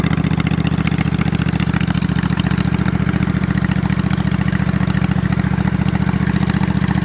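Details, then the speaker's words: Freshly assembled snow mower engine with slip-on mufflers over the exhaust tubes, before a planned 2-into-1 3-inch pipe; loud, even rumble with crisp regular exhaust pulses, no knocks or misses; normal running. "So it's a little bit louder now."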